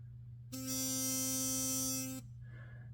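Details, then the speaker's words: Philips Sonicare DiamondClean 9000 toothbrush, opened, with a screwdriver pushing the plate so the magnet no longer rubs the coil: steady high-pitched buzz under two seconds, no rattle or rubbing; significantly quieter than the loud buzz. "then if I turn it on you can see it's significantly quieter and it still offers"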